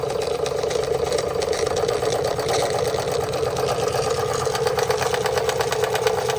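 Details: Märklin 16051 twin-cylinder toy steam engine, not run for a few weeks, boiler topped up: fast, light, even chuffing over a soft hiss with no knocks or hesitation, running at almost no pressure; normal running.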